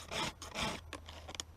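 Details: Hand-filing a power-saw chain with the file held at an angle, quick even rasping strokes with no squeak; filing straight across makes it squeak.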